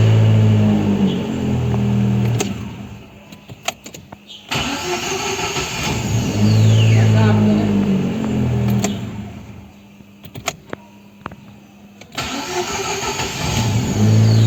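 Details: Chevrolet Celta after starter motor overhaul (brush holder replaced, dry planetary gears greased) for slow, hard starting: three quick cranks, each catching promptly into steady idle with no drag or grinding; normal engine start.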